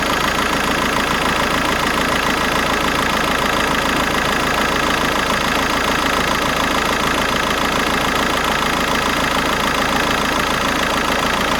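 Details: VW Golf 5 1.9 TDI 77 kW diesel at idle with loud even clatter and a constant rough whirring over it; abnormal noise suspected to come from a bad alternator, not confirmed.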